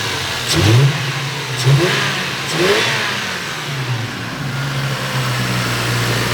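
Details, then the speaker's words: Lexus IS300 with 200k+ miles after engine refresh, timing belt kit, leak fixes and repaired coil and throttle body connectors: quick throttle blips then smooth, even idle with no misses, ticks or knocks. "we got it running perfectly you can hear it sounds nice and smooth fans are plugged in the way that they should be"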